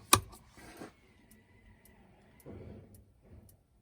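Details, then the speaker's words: Thetford N80 3-way RV fridge/freezer switched to gas mode: faint sharp ticks about twice a second from the igniter sparking normally before the flame lights and the needle enters the green zone. "I don't know if you can hear that clicking but uh I can hear it with with my ears uh the camera might not be picking it up but now because I can hear that clicking I know the igniter is working"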